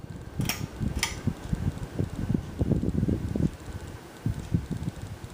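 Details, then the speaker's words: 52-inch Kendal Lighting lit-housing ceiling fan, oiled, on medium: soft uneven rumble and irregular thumps over the airflow, quieter than on high speed; noisy fan bearings. "i did actually try and oil the fan which seemed to help a little bit but it's still rather noisy especially on the highest speed"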